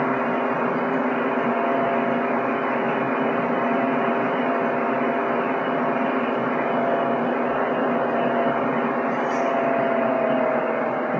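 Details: PC with a Ryzen R7 1700 overclocked to 3.9 GHz at 1.325 V under full CPU load, cooled by a Deepcool Gammaxx 400 with dual fans (CPU max 62C). Smooth constant airy hum with steady tones and no ticking or rattle. Normal fan noise under load.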